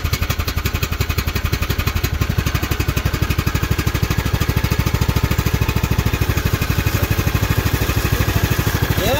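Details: Craftsman hydrostatic riding mower after the repair (broken fan replaced, plastic shields removed), listening at the pulleys underneath: a steady, even engine beat with no squeal, grinding or rattle. The earlier falling-apart noise is gone, and it runs normally.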